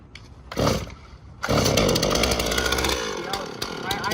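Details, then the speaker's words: Chainsaw started with the between-the-legs method, half choke then throttle with decompression pushed: a short pull burst, then a raspy two-stroke idle that sags and dies after a few seconds; the engine stalls at idle. "So you go there, push your decompression switch. See"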